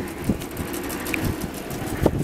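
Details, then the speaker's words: Homemade wind turbine on a trial run: a low boomy rumble with irregular clunks, as the chain drive rattles and the housing box amplifies it. The builder fears that much vibration won't let it last long. "amplify all this, well, I hear the chain rattling, that's me I don’t like it, with such a vibration it won’t work for a long time"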